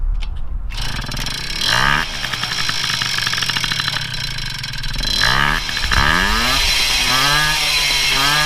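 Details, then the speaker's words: Moby moped two-stroke after rebuild with replaced crank bearing and new tires, revving up and dropping back cleanly with a crisp buzz; no more bearing hiss or bottom-end rumble, running normally. "Sounds much better. No more bearing hiss."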